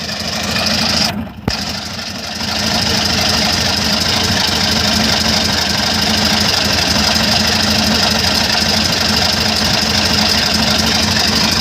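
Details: Airboat engine first fire and prop pitch test, cold: loud, raw engine note with harsh metallic chatter after a brief stumble; rattling and breaking up, source unknown.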